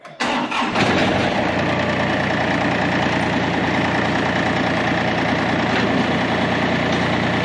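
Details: Likely a John Deere 955 with Yanmar inline-three diesel, cold start after glow plugs: short crank, catches quickly and settles into an even, steady idle with clean clatter; healthy cold start.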